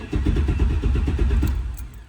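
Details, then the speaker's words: 6.0 V8-swapped Camaro cranking at about seven pulses a second without firing; circuit shows 12 volts but loses all power on cranking from the 25 amp fuse, so the coils get no power: no start. "and we lose all power. Hence, I believe, why I'm not getting any power to the coils whenever I go to crank."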